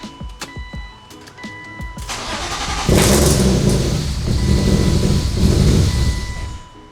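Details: 1999 BMW E36 M3 S52 after full head rebuild and first start, no coolant in yet, given some gas; a few chimes, then engine catches cleanly, revs up and settles into a smooth, even run with no knocks or misfires; normal running.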